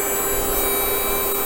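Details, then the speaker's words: Tokyo Marui HK P30 electric blowback airsoft pistol after reassembly, mic held close, with a slight burning smell: a steady high buzzing whine with no firing clicks. Motor runs but the gun fails to cycle; owner suspects a motor fault or gear misalignment. "but yeah this is what it happens it doesn't fire anything"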